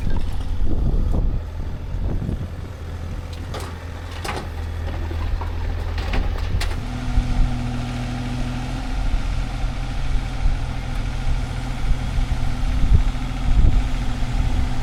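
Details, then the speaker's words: Tractor working heavy equipment cleanup at a burned barn, heavy load extended far out: diesel drones, then a steady raised hydraulic whine holds as the load stays out; hydraulics straining against the overextended load. "You can hear the hydraulics screaming at me. They do not like having this much weight extended that far."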